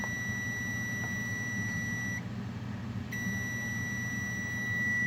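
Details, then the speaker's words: Multimeter continuity test between earth ground, metal desk and heater, no voltage measured between them: steady high-pitched tone broken once by a short gap, showing they are electrically connected, effectively a short circuit. "it's electrically connected you hear beeping that's essentially a short circuit"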